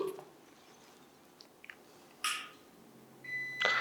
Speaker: მაღალი კლასის UPS-ების შემთხვევაში მნიშვნელოვანია გავითვალისწინოთ ფაზა და ნული ჩართვისას ხშირად უწყვეტი კვების წყარო გამოსცემს ხმოვან სიგნალს